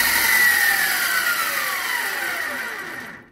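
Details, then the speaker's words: MX 8x14 mini-lathe with metal change gear train engaged, after motor mount slotted and belt tension reduced: loud high rattling whirr from the metal gears, fading as spindle slows; normal, metal gears are inherently noisy. "now obviously it's a lot more noisy those gears are not quiet okay those gears aren't quite at all um well this is the probably this is the um downside of metal gears"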